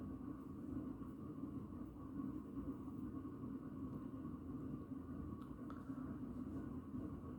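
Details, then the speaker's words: 36" 4 Seasons Galaxy ceiling fan on medium speed: steady low rumble and drone under the motor hum from badly worn bearings, fan starting to wobble. "all right here's a medium you can hear the bearings are starting to get really loud now it's starting to wobble a bit now starts to wobble on medium"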